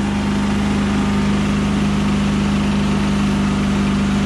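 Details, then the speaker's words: Yamaha EF4500iSE inverter generator with no power output: low, steady idle with a thick, lumpy drone that never picks up speed; ran extremely rich as if choke partly on, owner suspects bad inverter board. "it sounds like the choke is slightly on yeah I didn't run just right it ran extremely rich"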